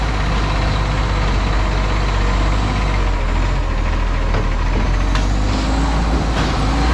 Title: West Torrens garbage #1601 *Exhaust Leak* + #2015